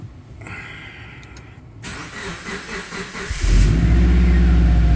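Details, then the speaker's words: Turbo Subaru Forester, automatic, reported to knock, first cold start at 33°F in the garage, oil found bone dry: brief crank, then a steady, even idle; no audible rod knock so far. "doesn't sound like it has rod knock"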